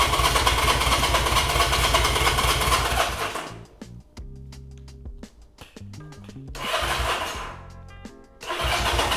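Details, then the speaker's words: Honda CB200 with aftermarket carburetors, cranking on choke; long, steady cranking bursts with no catch; crank no start, cause unconfirmed. "Okay. So, we don't have any spark. Now, we need to figure out why."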